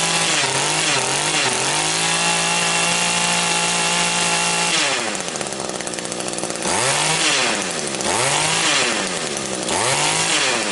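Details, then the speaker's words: Small two-stroke engine that would not rev and lacked power, after clearing a completely blocked exhaust screen, started without choke: steady high idle, then crisp revs that climb freely and drop back cleanly; now runs normally. "It should idle okay right now. Switch on. Sounds a whole lot better already."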